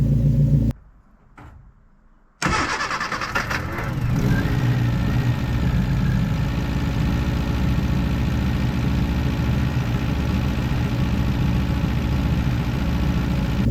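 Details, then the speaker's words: First start of a freshly rebuilt 1311cc A-series engine on choke: catches after a short crank, then settles into a smooth, even idle with a steady beat and no knocks or misses. "Okay, so tiny bit more choke. Engine management system. Easy. That sounds amazing."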